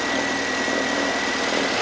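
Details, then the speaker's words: Imported car idling steadily after a cam angle sensor connector fix: a thin, constant high squeal rides over the engine as the drive belt makes too much noise at initial start; a rubber piece is needed as a temporary fix. "고무 펴서 이거 껴 줘야 되고 벨트 소리가 너무 나는데"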